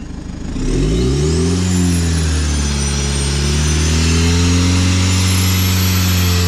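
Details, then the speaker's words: Fiat Ulysse after turbo refit, revved to about 3000 rpm while checking for oil leaks: engine picks up cleanly with a smooth, even drone and no whistle; smoke decreasing, running well, no apparent turbo oil leak. "C'est bon. Il y a déjà moins de fumée. Donc là c'est vraiment, c'est bien en train de partir là. Il tourne bien."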